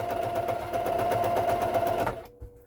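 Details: Front-loading sewing machine after hook and bobbin case reinstall, bobbin winder disengaged: fast, even needle chatter with steady hum for two seconds, then clean stop; normal stitching.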